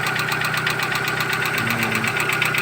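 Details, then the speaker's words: Knocking at idle on a 2012 Chevrolet Cruze with 235,000 km, oil unchanged for 10,000 km: a fast, even, sharp metallic internal knock. Unconfirmed causes are hydraulic lifters or piston slap. Oil change with flush is planned. "Всё стучит непонятно. Есть варианты, что это гидровики, есть варианты, что это поршень с отлотой"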